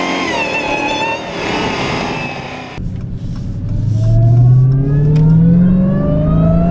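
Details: Dodge Hellcat driven after a Legmaker (LMI) intake install: a clear whine climbs steadily in pitch with road speed over a deep engine rumble. A healthy supercharger pulling under acceleration.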